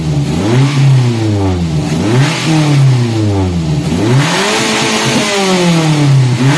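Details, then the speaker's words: Daihatsu Gran Max after the clogged catalytic converter was dealt with: it now runs smoothly, but after each blip the revs fall back slowly and hang. Throttle body cleaning is considered needed. "Namun, RPM-nya macet . RPM seringkali macet, itulah sebabnya throttle body perlu dibersihkan."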